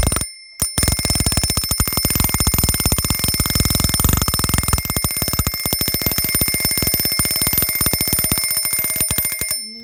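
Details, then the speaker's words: Vintage Yugoslav Eurastyle hand-wound double-bell copper alarm clock, alarm triggered by moving hour hand forward: loud fast even hammer clatter on twin bells for about nine seconds, then stops; rings properly. "so I'm going to demonstrate the alarm now and bring the hour hand on their forward"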